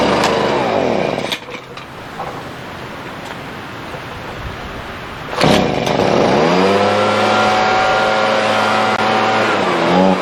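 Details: Husqvarna 125BV leaf blower after clearing a blocked fuel passage in the carb and fitting a new filter. The small two-stroke revs down, then settles into a steady high buzz that holds speed cleanly: normal running.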